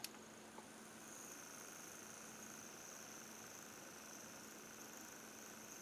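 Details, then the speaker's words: Luxman PD277 turntable motor in for service: a faint, thin, slightly unsteady high whine over a low hum, with the speed twitching between 21 and 23. It sounds like it is struggling. "And the motor's noisy, too. So, this is telling me there's something going on inside that motor that's not quite right."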